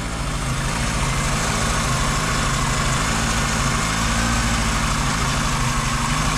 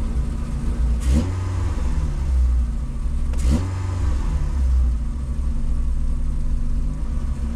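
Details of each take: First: VW Golf 2 carburetted engine, cold morning start with the choke open; it usually ticks when cold, then stops once warm: a steady, even idle rumble with no ticking on top, running smoothly. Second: VW Golf 2 with carburettor, owner blames the carb, choke partly on: two quick revs, then the low idle drones and wavers, sagging and recovering; cause unclear.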